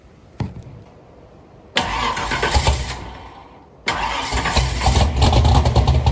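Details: Chevrolet Nova V8 with freshly rebuilt dual carburetors, recorded toward rear: cranks and catches quickly, two blips with deep even rumble and good compression; healthy start and rev.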